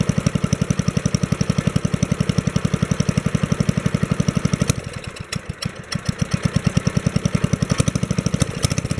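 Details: 1964 Wheel Horse 704 Kohler single-cylinder after fixing rod knock from worn rod and crankshaft (crank still 0.002 in out of round): even thump at steady low speed, no rod knock, light lifter tick, belt flapping against guard; normal idle.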